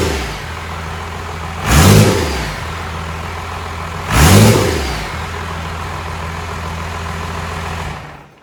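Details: Diesel engine destined for a 1956 Chevy truck, first fire-up on the shop floor after bleeding air from the fuel line: settles into a steady low idle with two clean throttle blips; sounds healthy.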